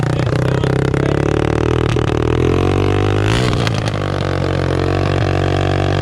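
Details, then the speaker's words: Rebuilt cheap Yamaha TTR 225 just started after rebuild, smoking: a loud, rough single-cylinder bark with rising and falling revs and some clatter; owner suspects oil burning off, cause not confirmed. "where is that coming it smells nasty though maybe it's just oil burning off all right well it runs it's super loud"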